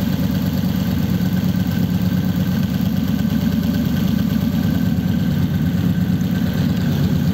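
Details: 1933 5-window coupe, worn "crusty" flathead V8 started after nearly 3 years parked, idling through dual pipes with very short mufflers: steady, even low rumble with no misses, knocks or ticks; normal healthy idle.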